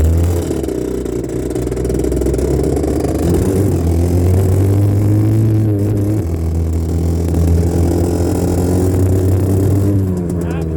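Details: 1984 Honda CR80R two-stroke ridden with a phone mounted on the front, after earlier running only on choke, now off choke: a buzzing note that runs rough, clears, then runs rough again. Surging.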